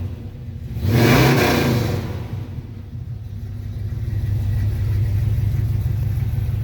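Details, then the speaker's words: 1985 Chevy K10 4x4 V8 with swapped aluminum Firebird heads, roller rockers and matched Edelbrock pushrods: one quick throttle blip falls back to a deep, even idle at 750 rpm; no knocking, sounds healthy. "So, as of right now, that's what it sounds like. RPM is at 750."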